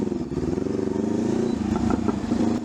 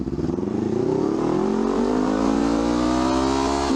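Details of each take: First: Honda CL500 with upgraded exhaust and high-flow air filter, before ECU remap: steady twin-cylinder drone after rolling off throttle from high rpm, with sharp pops and crackles from the exhaust, deceleration backfire. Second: Honda CL500 twin with upgraded exhaust and high-flow air filter, after an ECU remap of air-fuel ratio. It revs up and the throttle snaps shut; revs fall away cleanly with the former overrun backfire pops gone, only an occasional single pop left.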